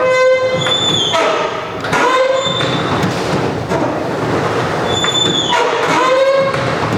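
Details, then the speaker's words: Roll-up garage door, after white lithium grease on one rusty spring: repeated high tonal squeals rise and fall as the door moves, with metallic scraping between them; improving, though the owner fears the spring is too far gone. "so as you can see it's definitely getting better i'm hoping that spring is just not too far gone because it is awfully rusty"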